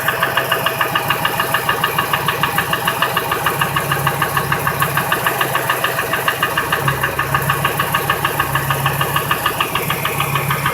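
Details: 2002 Ford F-150 5.4L 2V V8 (no cam phasers) idling with steady sharp knock about three times a second; runs fine, unplugging each injector and coil didn't change it; knock drowned out above 1200 rpm.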